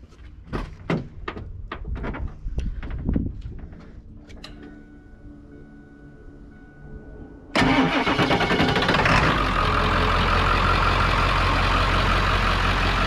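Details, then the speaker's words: Work truck diesel that starts right up, drove fine and shifted well, slight oil pan drip: brief crank, fires at once and settles into a steady, even idle with ordinary diesel clatter, no knocks or misses. "but uh it starts right up and it drove fine it drove fine all the way here"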